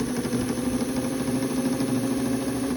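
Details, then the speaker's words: Vintage Viking Husqvarna 33-10 sewing machine after full cleaning, all three gearboxes cleaned and tension unit repaired (replacement spring, straightened lever): steady fast mechanical chatter and even hum, no knocks or binding; normal running. "it just sounds nice it's just nice it straightens zigzag only"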